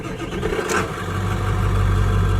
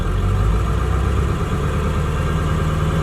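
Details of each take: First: Ford 7.3L Powerstroke diesel truck with a motorcycle Hall-effect throttle wired to the ECU: steady low diesel rumble with an even, settled beat and no knocks or misses; normal idle, slightly high from the sensor's minimum voltage. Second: Ford 7.3L Powerstroke diesel truck with motorcycle Hall-effect throttle wired via relays to ECU; sensor minimum thought to be around 0.7 V raises idle despite resistor divider; steady diesel idle stepping up to faster beat when switched: raised idle from throttle sensor offset.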